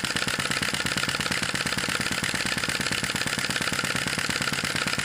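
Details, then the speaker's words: Sai Hu V1-45 flame-licker vacuum engine, brass cylinder and flywheel, hot cylinder, wick flame reduced: quick even puffing tick about two per second with light mechanical patter, steady and smooth at typical speed, running well. "is not heating up as bad this is a typical speed for this engine"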